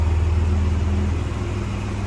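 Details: 1993 GMC Sonoma (S15) V6, idling on a replacement distributor after a faulty new one; owner suspects its pickup: steady, even low rumble with no misses, knocks or surging; idling smoothly and healthy.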